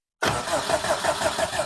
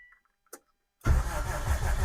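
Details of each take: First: Subaru WRX (cheap rebuild project) cranking in neutral with clutch down, first power-up, fuel pump heard priming beforehand; even strong cranking about six beats per second, no grinding or dragging, starter turns engine over normally before compression testing. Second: 2003 Subaru WRX engine compression test on cylinder four, throttle plate possibly closed: starter cranks about three turns a second with a somewhat uneven beat, fitting a weak cylinder with low compression.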